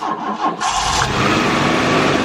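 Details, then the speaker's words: Car unrun for over a year that wouldn't start: cranks briefly, then catches on starting spray and runs roughly; spark confirmed good, so a no-start from fuel delivery fault. "all right so we know it's a fueling issue we're gonna try it one more time just gonna spray a little bit in there"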